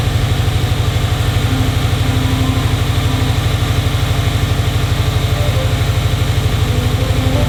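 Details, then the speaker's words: Subaru STI engine after drivetrain swap, first start with brand-new downpipe and catback exhaust: deep, even burble pulsing about three times a second, no knocks or rattles; normal healthy idle. "again sounds good"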